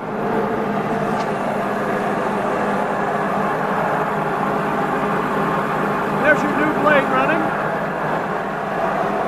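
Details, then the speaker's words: Refurbished Hobart 5701D commercial meat/bone band saw, three-phase 208 V via phase converter; steady, even whirring run with no knocks, rubs or speed surges, smooth and healthy. "and show you how smoothly it runs and we'll take the camera closer go around the saw up close and show you the great condition"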